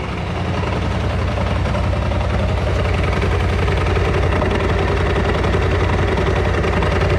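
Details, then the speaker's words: Freshly bought BMW C650GT scooter in for transmission noises: loud, rough idle with heavy rhythmic knocking about two to three per second, louder than its usual noise. "Я не знаю, как это передает камера, но звук очень громкий. И он не похож на стандартный вот этот вот звучок шумный, с которым они обычно работают."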